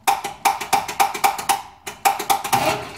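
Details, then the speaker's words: Chevy K10 pickup with throttle-body injection, cold dry crank after ten years sitting in a field: sharp, dry clicks about four a second with no cranking behind them; starter not engaging, and the solenoid needs work. "got to do a little bit of surgery on that solenoid"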